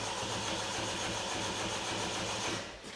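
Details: 2018 Peugeot 3008 1.5 HDi diesel cranks but won't start: steady starter cranking about four pulses a second, even compression peaks, about 160 A draw, never fires; codes P050B and P0017, timing suspected, fuel supply confirmed; cause unconfirmed.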